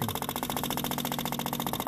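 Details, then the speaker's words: Subaru 360 van with an old two-stroke engine and a battery charged overnight. Its electric fuel pump suddenly starts working and buzzes loudly and fast, about twelve pulses a second with a sharp high edge, running dry and unprimed. "oh it just started working it just started working that is crazy"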